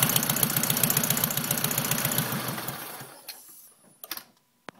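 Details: Engine idling after a header install, noise only at idle: quick even ticking about four a second riding on the idle, dying away as the engine shuts off; source not pinned down; ticking noise at idle.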